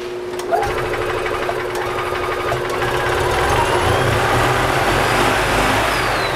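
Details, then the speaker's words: Gas EZGO TXT golf cart (1996 or 1999) that is hard starting, losing power and rattling, heard after an oil change: engine chatters fast and holds a high speed that creeps up. The governor is cranked up too high, likely adding to the starting issues. "he's got this governor kind of cranked up too, so I think that's another reason why he's having a little bit of starting issues."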